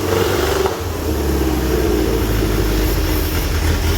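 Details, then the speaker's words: Toyota Corolla KE25 carbureted engine, fed brake cleaner through the carb, runs with a low, lumpy idle that stumbles and won't rev cleanly. The carb stuck open at first. Fuel is fresh and spark is present; owner suspects ignition timing is out. "there you go it does run that is quite surprising so it doesn't rev very nicely and the um carby actually got stuck on at the very beginning there so i think the timing's probably out because it it runs pretty badly"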